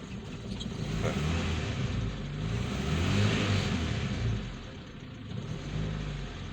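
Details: Engine revving after replacing the spark plug to fix a misfire; revs climb and fall smoothly with an even beat, no stumble or miss, running cleaner than before.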